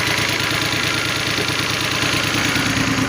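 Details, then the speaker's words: Toyota Sienna: engine catches and settles into steady, even idle with a light hiss, no misfire or knock; running normally. "Okay, you can see that the engine is now running."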